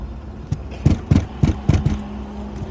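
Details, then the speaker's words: New 2025 Volkswagen Touareg: irregular dull low thuds, about seven in three seconds over steady engine hum; knocking from the rear, owner first suspected shock absorbers, cause unconfirmed. "думаю что оно сзади стучит думал уже что амортизаторы все дела"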